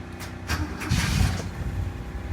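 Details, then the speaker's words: Carbureted Toyota 4K engine, tuned for fuel economy, cold start with 2-3 throttle pumps and no pedal hold; catches first crank, low steady even idle, no misses or knocks; normal cold start and idle. "Ayan, napakababa ng minor. Madaling paandarin. Smooth. Ganun lang siya kaibigan. Ganun lang siya ka-smooth paandarin kasi nga, nakatono talaga siya."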